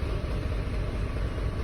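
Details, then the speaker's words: 2006 GMC Envoy bought at scrap price, after cam actuator replacement, codes cleared: low, uneven idle rumble with low rpm that wavers; still idling rough. Cause unknown; owner plans to replace crank and cam sensors. "still running rough there's a couple sensors I I'm gonna try replacing still I don't really have one of them fancy scanners but our RPM's pretty low and I don't know if you can hear it or not but it's just idling rough"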